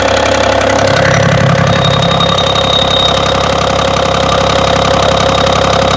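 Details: BMW engine at steady idle with a repeating knock of about two per second over the engine note; knock at idle, cause not yet pinned down.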